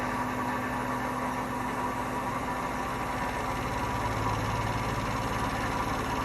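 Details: Hotpoint washing machine spinning up to 1200 rpm: a steady, heavy rumbling roar with a low hum, from bad drum bearings.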